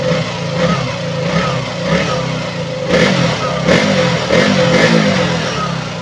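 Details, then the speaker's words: KTM Duke 200 after the leaking fuel pump hose was replaced: quick throttle blips rise cleanly and fall back to a steady idle. No hesitation, stalling or power loss; test ride confirmed normal. "hindi na po siya namal wala na po yung parang pag loose ng power and then normal na po k normal na po ung kanyang idle"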